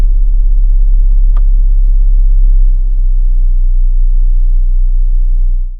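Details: New 2026 Chrysler Grand Caravan SXT, warm idle with brake on in Drive or Neutral: deep steady roughly 32 Hz cabin rumble, no knocks, loudness shifting with air-conditioning changes; cause unknown.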